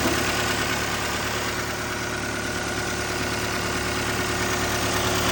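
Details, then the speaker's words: CAT 299D2 skid steer diesel, operator heard loud ticking at full throttle: busy steady clatter with faint quick ticking underneath from a cracked exhaust manifold leaking; exhaust manifold leak ticking. "he said he noticed that when he was at full throttle, he heard a loud ticking coming from the engine area. He couldn't tell what it was."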